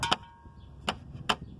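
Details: 2008 Dodge Caravan rear end, passenger side near the brake caliper. Sharp, tinny metal clinks with a brief ring, worst over speed bumps, from an exhaust heat shield loosened by corroded mounting screws.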